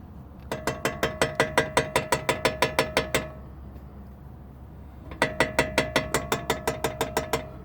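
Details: Jeep Wrangler TJ brakes give two bursts of sharp, even ratcheting clicks, almost three per second. The pads appear to shift slightly in the bracket, locking up and releasing repeatedly; cause suspected, not confirmed.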